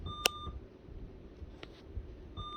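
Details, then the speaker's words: Dell XPS 8910 beeping repeatedly at startup with a top-fan-not-found warning after installing SATA-powered RGB fans that don't plug into the board; pressing continue boots normally. "And basically it just says that it can't find your top fan, and as you can probably hear, it's beeping at me."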